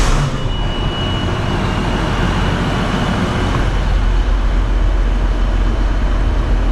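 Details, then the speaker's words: Case IH 2388 combine diesel idling after annual pre-season service (oil and filter, air filters, fuel filters changed): steady, deep rumble with even, unhurried beat, no knocks or rattles; healthy normal idle. "Start it up. I'm just gonna let it, just idle it."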